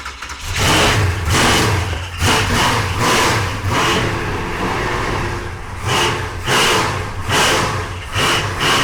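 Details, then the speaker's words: 1968 Oldsmobile 442, 500 cubic inch V8 on fresh 93 octane, first start with a new starter after years of sitting: fires up and is blipped repeatedly with a loud deep roar rising and falling with throttle, no knocks; runs well with good oil pressure. "We finally got it running after what, two years now it's been sitting. So, uh, it honestly sounded pretty good."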